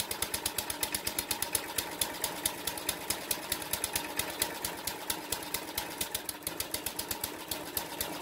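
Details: Briggs & Stratton 2 hp horizontal-shaft edger engine, first test run with choke on after carb clean: uneven hunting pops around two per second, never settling; rough running, owner suspects an adjustment issue, not confirmed.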